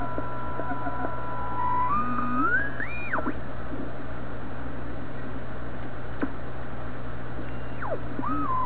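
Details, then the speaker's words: Canadian PYE 39 antique tube radio (6V6 output, grid bias about -16 V) during resistor checks: gliding whistles rise and fall in pitch as the dial turns over a steady hum, an odd oscillation while tuning; suspected regeneration. "that's an odd sound right there that sounds like regeneration"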